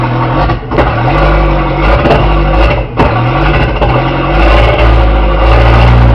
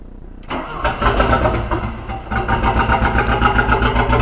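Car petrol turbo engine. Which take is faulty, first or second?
first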